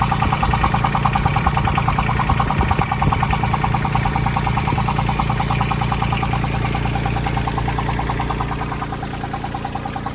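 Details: Branson 2500h tractor with A1100 diesel engine, three weeks old at 38 engine hours, idling with a steady knock about three times a second over the clatter; owner doubts rocker arm clearance since that would sound different; source unclear.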